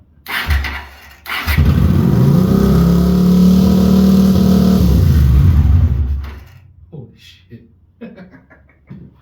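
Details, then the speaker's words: Honda GL400 Silverwing after carbs stripped and jets cleaned: engine catches and settles into an even, slightly fast idle on both cylinders, idle screw to be wound in, then shuts off; normal running after repair. "so that's got wow it's amazing what clean Jets and that too we do is it um maybe wind that idle in a little bit and take it from there"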